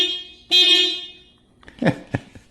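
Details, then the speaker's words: 2023 Toyota Prius horn, heard from outside the car. One short, thin, high-pitched toot of about half a second, weak rather than throaty: a normal horn. "it's kind of wimpy actually that little I mean there's it's it's definitely not a throaty get the hell out of my way kind of sound"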